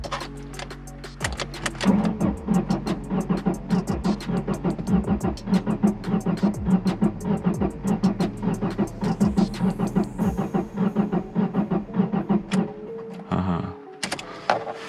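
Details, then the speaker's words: Ford with 146,000 miles, fuel gauge on empty, ripped vacuum line: starter cranks on with an uneven chugging beat, never catches; low compression suspected, later cylinder 1 reads 180 and another about 100. "Sounds kind of weird, maybe no compression, so I'm gonna go ahead and check compression real quick while it's still light outside, just to see if I need an engine or not."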